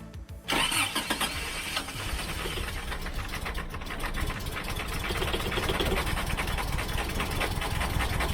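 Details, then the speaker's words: Freshly rebuilt Toyota 22RE, first start: long crank, then catches and runs ragged without settling while distributor is turned; rotor found roughly one tooth out, ignition timing wrong. "it does sound like it's just not quite in time so we'll get out here and we'll screw up the distributor a little bit move it back and forth see what works best"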